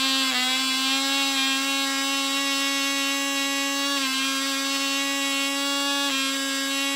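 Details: Cox .020 Tee Dee nitro glow model engine on thrust test stand: steady, high-pitched scream holding pitch without sagging or stuttering; about six ounces thrust, runs great; normal running.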